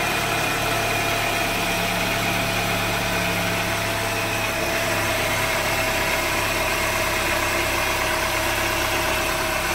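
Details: Chevrolet Onix engine idling after an oil change mess, with spilled oil burning off as smoke; even steady idle with smooth low hum and constant hiss, no knocks or misses; normal idle.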